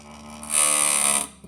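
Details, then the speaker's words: Phonograph spring motor with a loose motor board; owner suspects a slipped spring. Thin high steady whine because the governor is spinning far too fast with the speed control off. "Woo, it's spinning fast. Speed control's off. You hear this? This whine?"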